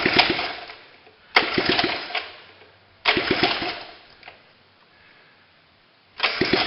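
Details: Honda ATC 70 running with no exhaust pipes fitted, first start after cleaning with a propane torch: three loud, raspy revving bursts from the small single, each fading out. The engine fires and runs.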